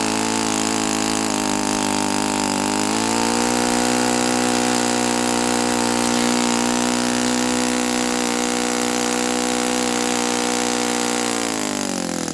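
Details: Saito FA-82a four-stroke glow engine after spring replacement, timing, valve lash and springs confirmed good, plug swapped to O.S. F: steady high full-throttle buzz climbs slightly then holds flat, below ~9,000 RPM expected on 14x6 prop; cause unknown.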